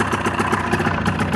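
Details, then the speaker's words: Ski-Doo Rev two-stroke at idle: the PTO side blocked by palm only drops it to about 1,000 rpm without stalling. Air is leaking past a bad PTO crankshaft seal. "it's only going down to about 1,000 I let go it'll go back up put some suction on it again so I know there's air getting in and I know it's coming from somewhere over there I know well I know it's the BTO seal actually"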